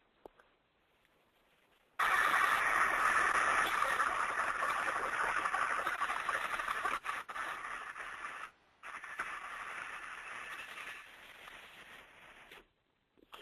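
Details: Larger electric motor's bearing, heard by ultrasound during greasing: loud rough rushing clutter fades as grease goes in, surges back, then settles quieter; it needed more grease; a dry, under-lubricated bearing.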